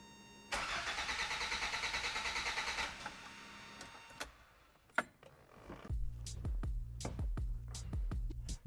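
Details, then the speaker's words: 1986 Toyota MR2 AW11, stopped running after last season, checked plugs, wires and vacuum lines: engine catches for about two seconds then dies, followed by short stuttering cranking bursts that never start it; starts then stalls, cause undetermined. "All right. So, it kicked on [music] and then died immediately after."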